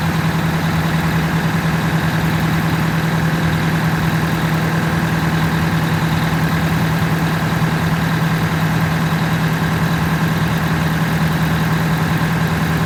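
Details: Detroit Diesel 8V92TA in a Wanderlodge, first start after repairing a significant blower oil leak (blower, cooling system and turbo removed and refitted, radiator hose clamp tightened): a deep, even two-stroke drone with steady blower hum and no misses or knocks; healthy idle.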